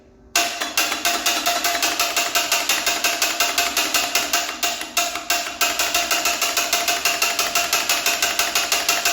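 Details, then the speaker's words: Cummins diesel truck engine after catastrophic failure, attempting compression test with batteries and 200 amps from Snap-on jump pack: slow labored cranking, about three heavy strokes a second with dips, never fires; starter fighting. "This thing is fighting. Like, I have the jump pack on it. Sorry, the I have batteries on it and I have 200 amps of Snap-on."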